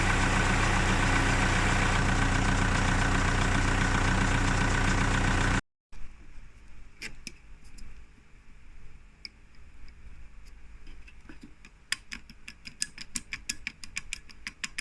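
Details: Volkswagen Caddy Mk2 van idling: loud rough rush at first, then irregular clicking and ticking from the clutch area with vibration; cause suspected, not confirmed.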